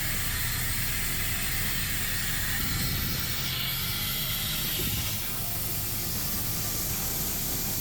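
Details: End dump truck's PTO/dump control valve in the cab tower: steady sharp hiss of air escaping past a blown seal, draining the air tanks while driving on the highway; fixed by replacing the control valve.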